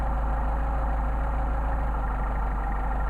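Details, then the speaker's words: Mercedes 190SL with rebuilt Solex carbs, idle mixture screw being turned in and out to find the midpoint: low uneven idle with a soft lopey chug about twice a second, engine stumbling and degrading; rough idle from incorrect idle mixture. "What you're doing is you're going to screw this in and out until the engine stumbles, and then you find your midpoint."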